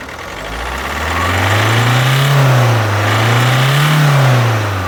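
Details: Alfa Romeo Giulietta II (Tipo 940, 2011) 1.6 diesel, 1598 cm³, 105 hp, engine code 940A3000, 312,000 km: deep engine note revved twice, rising and falling flat and lumpy; dead cylinder with no compression.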